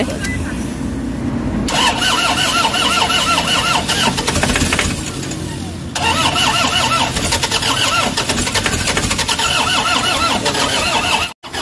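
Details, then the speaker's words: Toyota Hiace diesel, won't start, codes P0087, P0107, P0400: two long bursts of steady starter cranking with no firing or catch; crank no-start from low fuel rail pressure. "Ayaw tumuloy guys. So check natin ang kanyang engine scan gamitan natin para ma-diagnose natin kung ano yung problema."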